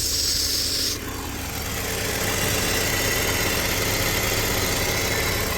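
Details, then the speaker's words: BMW E46 six-cylinder after replacing a missing valve cover bolt that caused a vacuum leak, misfire and lean running. It has a steady, even, smooth idle with no misfire, though the owner notes a faint hissing and the check engine light is still on. "now sounds like it's good to be honest there's no misfire I don't see it misfire um seems like the engine is running real smooth"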